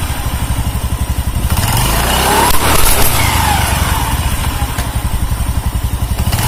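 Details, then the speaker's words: Carbureted Honda Beat scooter after replacing the snapped CVT drive belt (V-belt kit) and cleaning parts; engine runs smooth. Steady, even single-cylinder putter with one smooth rev swell, no slap or rattle; normal idle. "Oke Alhamdulillah sudah selesai dan mesin halus mesin halus kawannya"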